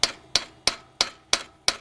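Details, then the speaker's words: Cannondale eccentric bottom bracket being adjusted by striking the wedge at an angle with hammer and punch: sharp, ringing metallic taps about three a second. The sound stays solid because the wedge is still tight, until it cracks loose. "It's quite a solid sound until it cracks."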